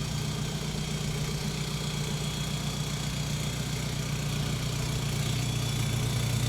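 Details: Volkswagen Jetta Wagon diesel idling during testing of a newly installed full exhaust: steady low rumble, even unhurried beat, no knocks or rattles. Normal idle.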